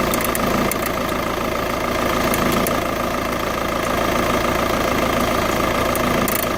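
Diesel clatter at idle with a light, somewhat uneven tick around three per second over the engine's hum; a ticking noise, source unclear.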